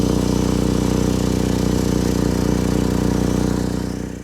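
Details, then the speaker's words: 2012 Chevy Equinox at steady idle with a sharp, rapid puffing tick on the exhaust note; exhaust leak from a cracked resonator behind the driver-side passenger door, before a temporary patch. "Just behind the driver passenger door, you'll see the resonator right here. You see there's some exhaust. And you can see the crack, I believe."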